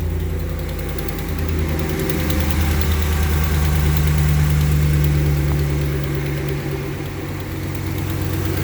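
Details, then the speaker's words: 2014 Ram 1500 ST, 5.7 L Hemi V8, 63,000 miles, cold start at about 80°F outside: idle with light steady tick about three per second over the rumble, valvetrain ticking from a broken valve spring. "Got a ticking, tapping, clicking, whatever you want to call it, on a cold start. It's about 80 degrees outside."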